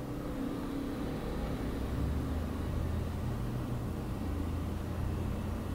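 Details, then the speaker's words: Wacom Cintiq Companion 2 in OS X with Photoshop open: steady low whir of the cooling fan at one even level, second speed step, no rattle or pulsing. "Photoshop open it's um it's kicked up to about the second level not one down"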